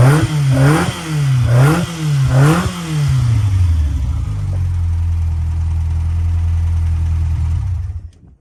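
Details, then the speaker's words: Malcolm's engine, started by refitting the coil connector. Three crisp blips rise and fall cleanly, then it settles into an even, steady idle with no knocks or misfires. Healthy idle and revving. "Yeah, it sounds good, doesn't it? Does sound good, yeah."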